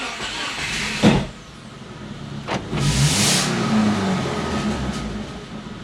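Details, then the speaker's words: Cheap Subaru with loss of power, started with holes cut in the exhaust to test a suspected blockage: harsh, raspy roar with hissing puffs that swell when revved, exhaust pouring out the holes; revs okay. "when I step on the gas you can hear the exhaust pouring out those holes"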